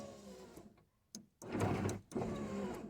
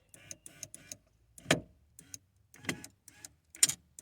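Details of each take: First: 1994–2004 Ford Mustang power window after fixing popping by tapping the regulator bracket teeth so the gears don't pop out: steady motor hum in short strokes with crisp stop clicks, no popping or skipping. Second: 1994-2004 Ford Mustang power window winding up with sharp pops and clicks about once a second, motor fine; regulator gears jumping, fixed by pushing the gear farther in so it stops hitting.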